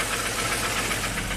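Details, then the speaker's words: 2002 Jeep Grand Cherokee 4.0L inline six, rebuilt engine, first start after crank no-start diagnosis, no cam signal: uneven, lumpy idle with irregular knocking, harsh and loud, heavy blue smoke, won't rev up; rough running, misfiring. "Oh, a lot of blue smoke there. Sounds like a diesel. Woo! Sounds terrible, but it runs. Amazing."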